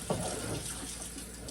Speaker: I'll put this switch I wonder if I've run out of power. Oh, there we go. We have running water.